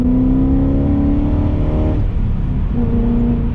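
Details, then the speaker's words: BMW E34 540i, M60B40 V8, after fixing throttle body gasket vacuum leak causing lambda codes and limp mode: smooth note climbs, dips at a shift and climbs again, no stumble; healthy acceleration. "It wasn't getting the right amount of air, and it just was not a happy motor. And now I can confidently say that this is a happy motor."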